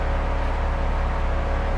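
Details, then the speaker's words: BMW 135i after restoration work: low, even engine rumble with the electric radiator fan's steady rushing whoosh over it, no knocks or ticks; fan normal, car running and driving good. "okay the sound stopped everything was working fine that's the fan there for the extra the electric fan for the radiator no big deal there"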